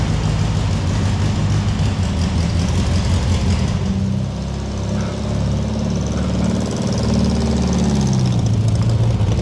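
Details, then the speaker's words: Barn-find VW Beetle, running after sorting out its accelerator cable: deep steady thrum, slightly loose beat, no knocks or squeals; drives great. "So we've had a drive in this car now, and it seems to drive great."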